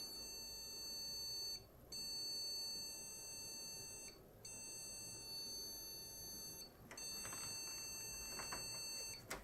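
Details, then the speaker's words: Desktop PC powered on with all RAM sticks removed: long beeps of about two seconds repeating at intervals until switched off, the POST code for no memory detected on this motherboard. "this time we got a single long beep at intervals and he might continue until I switch the system off which is different to the other beep cause"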